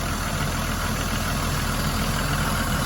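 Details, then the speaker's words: 1991 Toyota Supra Turbo MK3 7M-GTE after finding the vacuum leak: steady, even idle with a low rumble and no hunting or surging, idle restored. "Yeah. So there's the idle. The idle's back."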